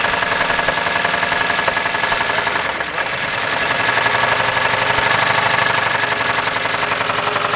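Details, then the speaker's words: 1959 Buick 364 Nailhead V8 first start since early 1970s, just fired after rattly attempts; rough idle with rapid ticking knock through exhaust rattle; has oil, gauge shows pressure halfway; source unknown, hoping knock goes away. "nevertheless she's running let's see if the knock goes away"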